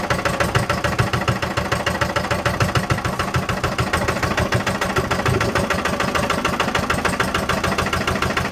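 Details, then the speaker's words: 1955 Lister LD1 single-cylinder diesel, 2 hp at 1000 rpm, before restoration: steady, even thumping at a slow, regular beat with no misses or extra knocks; starts fairly easily. Normal running. "So that's the LD. She does run, starts fairly easy, so just give her a cosmetic restoration"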